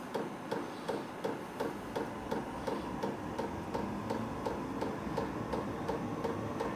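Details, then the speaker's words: New WIPPRO 8 kW diesel heater on first startup, a couple of minutes in: steady sharp ticking about three times a second over a soft rising fan hum as the fuel pump and fans start; normal startup. "you can really hear the fans kicking in all right this unit is is fired up now"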